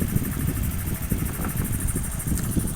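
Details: First-generation Honda Beat FI scooter with a cold-start and stalling complaint, running on its still-good injector (standard 2.6 ms at idle) before a faulty one is swapped in: steady, low, even putter with no knocks or stumbles; healthy idle.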